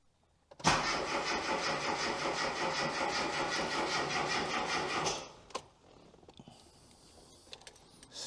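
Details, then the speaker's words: Classic Mini MPI after engine reassembly and head gasket install, turn-over check on battery jumper in neutral: steady, even starter cranking about four and a half seconds, engine spinning freely without firing; healthy crank. "so the battery jumper is connected we've got power now we're in neutral good that i checked that can hear lots of stuff happening"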